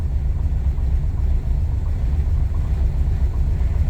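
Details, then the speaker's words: Low-compression four-cylinder car just fitted with Pulse Jet Ignition on all cylinders, warming up with idle dropping: deep, lumpy low rumble wavering unevenly, sounds different; rough idle, owner says it sounds like it needs more. "uh it runs like [ __ ] like literally [ __ ] uh it sounds the engine sounds different it sounds like woy woy"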